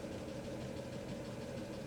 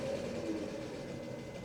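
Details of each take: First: 1997 Mercedes S500 coupe V8 after head gasket fix, warming up from slightly high idle, parking brake released: quiet, steady, even idle with no clear knock or miss; owner thinks it sounds a lot better. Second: 1997 Mercedes S500 coupe V8 idling after an oil change: short stretch of steady, even low rumble, no clear knock or miss; owner thinks it sounds better and happier but admits it may be wishful thinking.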